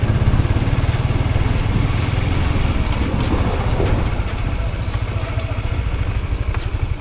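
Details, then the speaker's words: Honda CBR150 idling after the cam chain tensioner was replaced with a CRF250 tensioner lifter: even steady idle with a smooth low thump and no ticking or rattle; the noise is gone and the engine is fixed. "So kondisyon na ulit ang motor natin guys. Wala nang ingay. So ayos na."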